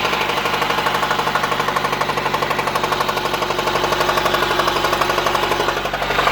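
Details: 1993 Honda Civic EG8 with D16Y1 VTEC swap at idle: a hard, sharp knock about four times a second. Oil pressure light flickered, then stayed on after ticking began; still ticks after a 5W30 oil change, sometimes stalls. Rod knock suspected, not confirmed.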